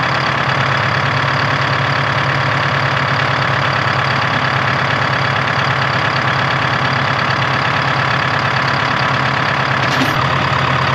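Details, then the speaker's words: 1976 Ford F250 with Detroit 453T two-stroke diesel, after fuel system rebuild and renewed tank: loud, steady idle with an even, dense clatter, no stumbles or surges; normal healthy idle. "[Applause] [Music] sounds good"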